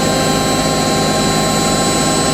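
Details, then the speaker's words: Hotpoint 9530 Electronic 1000 Plus washing machine, after repair (burnt neutral wire on mains lead replaced), final spin with twin bedding load: high, steady whir at full speed with no thumping or wobble; well-balanced, smooth-running drum, normal spin. "It sounds so smooth going up to the house. I wonder if we'll make it down to distribution before we do. I'm amazed. I'm amazed at how smooth that is."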